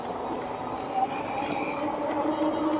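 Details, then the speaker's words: 2018 Rad Power RadRover e-bike riding on the street in gear seven: steady rolling rush with faint wavering squeaks as the drooping rear fender rubs the tire, now wearing a hole through it. "now we're right Little Sis five gear seven and my fenders are rubbing"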